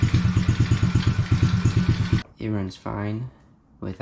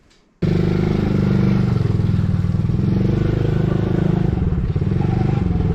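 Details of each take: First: Coolster 110cc quad, sat two years, off choke and warming up: steady single-cylinder putter about three beats a second, even and unfaltering before cutting off; running fine. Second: Coolster 110cc quad that sat 2 years, on first test ride: engine holds a steady high-revving roar without returning to idle, throttle stuck open because a cap was not screwed on properly; owner fears debris was sucked into the engine.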